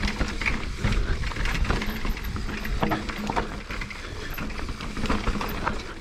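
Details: Mountain bike on a rough trail gives a constant irregular clatter and rattle. It is chain slap against a hard plastic chainstay protector with no foam padding.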